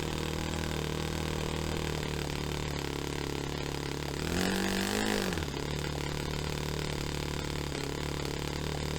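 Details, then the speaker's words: Saito FA-45 Special on first run after a full rebuild with new bearings, on a test stand, 10% nitro, needles on initial untuned settings. A steady high buzzing idle, then one blip climbs slowly and sags back; slow throttle response. "So it's obviously it's not tuned right, it's not set up, but as a starting point, I know it runs,"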